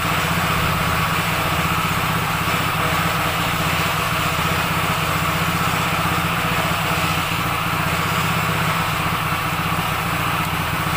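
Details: Yamaha Mio J scooter that had a rough noise traced to a worn, loose roller housing in the CVT, heard after the repair. Steady single-cylinder idle, an even putter with no knocks or rattles: a healthy idle.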